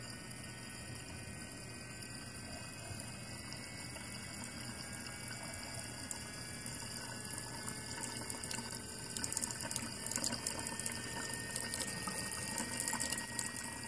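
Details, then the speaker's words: BMW electric water pump after replacement: soft, even electric hum with coolant swishing steadily through and slowly rising as it speeds up; working normally, the radiator-fan-stuck-on-high fault repaired. "we've already gone ahead and repaired this one so you can also see what happens after it speeds up a little and is working successfully"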